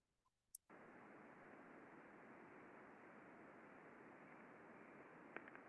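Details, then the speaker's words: Ultrasound recording of a slow-speed (4 RPM) front bearing on a stand carrying a big spool of flat roofing material: a steady, even hiss, very smooth and quiet. A couple of faint impacts come from ridges in the material, a normal part of the process. "bearing very smooth very quiet couple of evidence of impacts in here but this is actually a natural part of the process"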